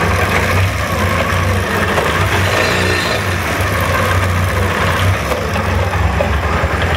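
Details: SMC 250 engine at idle: busy metallic clatter over the exhaust beat, a loose rattle consistent with a slapping timing chain.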